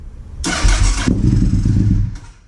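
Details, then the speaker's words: Honda RC51 V-twin first start after reassembling rear cylinder (rear spark plug thread repaired with threadsert), fuel pump primed, no coolant yet: short cranking catches into lumpy, low cold idle that settles; normal cold start. "ah there we go you got gotta plug it in that's all she's sucking some fuel oh yeah she's ready to go oh baby"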